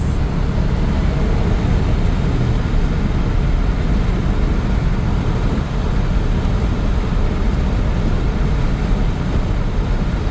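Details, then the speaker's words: 1997 Chevrolet K1500 5.7L Vortec V8, 211,812 miles, rebuilt 4L60 transmission: when it finally goes into fourth gear, a deep, steady low drone with no clear rhythm sits under the engine noise; smooth at idle, cause unknown. "Does not want to go into fourth gear. And when it does go into fourth gear, you get this"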